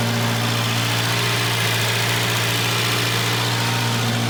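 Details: Junkyard-repaired Volvo 240 just started cold: cold idle with a loud raspy hiss and chuff layered over the engine hum, like an almost open downpipe. A bad exhaust leak.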